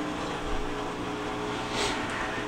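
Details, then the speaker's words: Whirlpool WTW5610XW3 top-load washer in diagnostic test 7, with a complaint of loud banging: steady drain pump hum turning gurgly as it draws air, meaning the tub is as empty as it will get. Normal drain pump running. "by the sound of the pump right now now I can tell that the tub is as empty as it's going to get"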